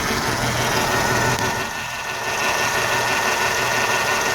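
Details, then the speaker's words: 1994 Mercedes E420 M119, first start after three weeks not starting; the owner blames carbon around the valves for very low compression (about 20 psi). Started with the accelerator closed: an uneven, lumpy idle, shaking a lot. "so let's see how it goes obviously it's shaking a lot right"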